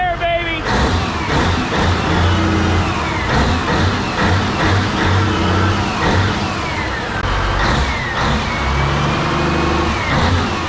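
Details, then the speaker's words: CAT 992D wheel loader spare 3412 twin-turbo diesel on test run, coolant lukewarm around 80–90°, revs climbing with a deep, smooth rumble, no knocks and zero blow-by; healthy diesel under rising revs. "here we go in three two 1 80 that's a sound of horsepower right there"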